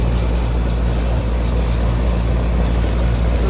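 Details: 2003 Carrier 38CKC 3-ton AC condenser with Bristol reciprocating compressor and 3-blade 18-inch galvanized Revcor fan: loud, steady low hum with wind rustle, no knocking or rattling; suction line cold and sweaty, liquid line hot, running normally.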